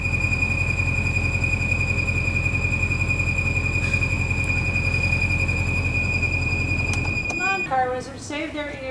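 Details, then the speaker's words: 2014 Bentley Continental GT at idle: a shrill, steady high whistle over a smooth idle that persists until shutdown, caused by excessive crankcase vacuum pulling air past seals. "business john was driving his car and he hears this whistling noise and he's like what in the world is that"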